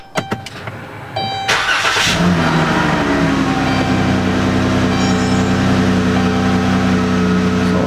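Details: Dodge Grand Caravan that wouldn't start, after the battery with a dead cell was found and replaced: a short crank, then it fires right away and settles into a smooth, even idle; a normal start.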